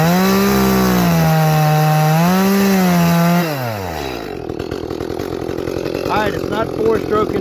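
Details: Echo CS-310 chainsaw after high-speed jet leaned further: clean steady scream, no burbling out of cut, then winds down; carb a touch lean, richened slightly to final roughly quarter turn leaner.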